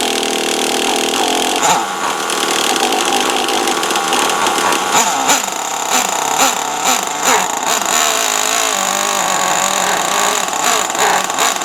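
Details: Traxxas T-Maxx 3.3 nitro RC truck after 8+ years stored, very cold out: small high-revving engine climbing through throttle bursts, clean pickup each time; runs nearly perfect, spins all four tires in second gear.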